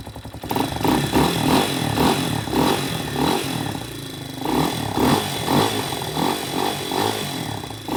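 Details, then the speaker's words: Spark SP250 D3 (166FMM Loncin RE250) single-cylinder motorcycle after valve clearance adjustment with 0.05 and 0.06 feelers, briefly started on choke first. Short clean, even revs with no valve tick. Normal running after repair. "Все зібрав, все працює. Клапани з поршнем не зустрілись. Я считаю, це успех."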